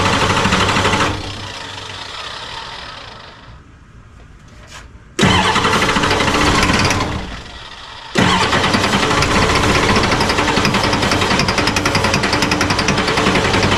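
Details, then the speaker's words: 1986 F350 diesel after fuel return lines were replaced: it cranks and catches, falls away, then a second start holds on a loud clattering idle; the owner worried it sounded like a bent rod. Hard starting, with air in the fuel lines suspected. "Maybe he just likes the glow plugs. I don't know. Well, I did replace these lines, so it's probably got a bunch of air in it."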